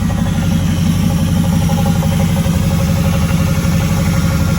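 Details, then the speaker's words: Camaro engine idling after sitting unused for a while: steady idle with a faint irregular tapping about three a second over the low rumble; owner hears a noise from the engine he's not happy with, cause unknown. "there's a little noise that i'm not too happy with y'all can hear it let me know what you think"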